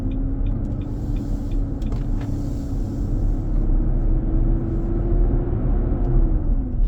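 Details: 2023 Nissan Armada, 4k+ miles, driving at about 95F inside: heavy steady roar under a faint tone that rises and falls. It eases at 45 mph and returns after stopping and accelerating. Intermittent, almost daily. Fan clutch roar.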